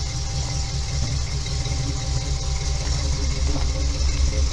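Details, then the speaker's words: 1968 International Scout with 392 V8 and GM axles: deep, steady V8 burble at idle with a faint hiss, no knocking or stumbling; header wrap needing redoing; runs healthy. "Sounds good too. It's got that 392 in it."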